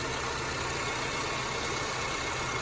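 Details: 2006-2011 Honda Civic 1.8 after alternator replacement with a remanufactured unit charging 14.1-14.2 V: even idle with a steady hum under a lot of hiss, no squeal or whine; engine and charging system healthy.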